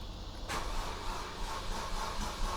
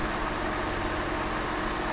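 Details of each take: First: Mercedes SLK350 after radiator/condenser work and battery reconnection: steady low chugging of the starter turning the engine over with no firing or pickup to idle; long crank, no start. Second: Mercedes SLK350 with about 215,000 miles, started after radiator/condenser replacement: smooth even idle, steady low hum, no knocks or ticks; sounds healthy, though smoke then appeared and owner worries about air in the system or a head gasket.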